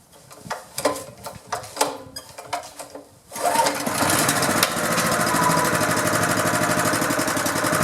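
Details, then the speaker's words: Honda GX engine on pressure washer that sat outside about 10 years: a few pull-cord tugs, then catches on first good pull and settles into steady even run with no misses; oil change to follow. "first poll how about that boy that sounded good"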